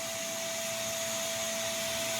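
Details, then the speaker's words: New FLSun T1 3D printer, set to 115 V, sitting idle after a failed self-test: a loud, steady, high airy fan whir that starts at power-on and never slows or switches off; the bed and nozzle won't heat and the axes won't move. "This fan switches on the moment you turn the machine on and does not stop. And that can't be right."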